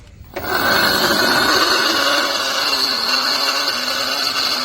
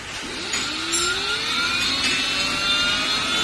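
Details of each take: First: Aahana e-rickshaw loader 1500 W motor, removed and spun freely, gearbox noisy while driving: harsh rough whirring, high whine and gritty rumble; motor bearing worn and must be replaced, gearbox to be opened and checked. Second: Aahana e-rickshaw loader 1500 W motor after refit, sensor plate marked and realigned: smooth whine rising evenly on spin-up, no grinding or rumble; previous noise gone, motor sounds perfect.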